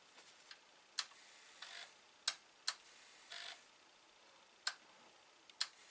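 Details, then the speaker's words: Atari 1050 floppy disk drive after removing a string wrapped around the mechanism and spraying lubricant: sharp dry ticks in short irregular bursts as the head stepper steps forward but never steps back toward track zero. "So I don't know why it's not stepping back and it just steps up like that. See that? It's like it's not stepping back."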